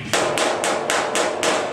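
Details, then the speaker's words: Panel beating on a VW Type 3 Notchback during restoration: six evenly spaced hammer blows, about three a second, flat and dull rather than ringing, because there is a gap between the dolly and the panel. "There's a gap between the dolly and the tin, and it makes this real dull sound."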